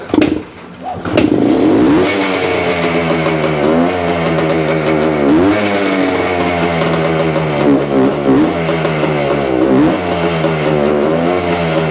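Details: 1975 Suzuki TS-250 two-stroke after stator rewiring, coil ground repair and cleaning the wet plug, about 30 degrees out: first start, a crisp ringing note after a cough, revs rising and falling cleanly, running normally; loose stator screws were later found as a cause.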